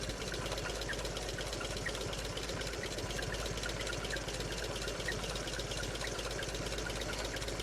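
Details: 1958 Willys DJ-3A, L-134 Go-Devil four-cylinder, after replacing leaking water pump with OMIX 17104.01 and refilling coolant: steady, even idle with soft loose pulse, no knocking or squeal; normal idle.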